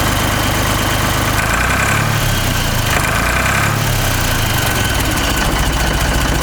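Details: Ford 3600 tractor diesel after a second rebuild of the CAV injector pump; alternator belt is loose: a steady, regular clatter at even idle with no misses; normal diesel idle.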